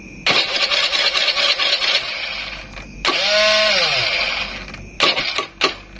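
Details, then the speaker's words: Honda Beat carburetor scooter with added safety switch grounding the pulser positive wire: electric starter whirs in bursts, never catches; no pulser signal so no ignition spark. Crank no start, no ignition spark. "Oke kita bisa lihat di sini disaat positif pulser terhubung ke ground yaitu terhubungnya karena saklar yang ini Ini dia nggak ngeluarin arus secara otomatis yo motor nggak bakalan hidup"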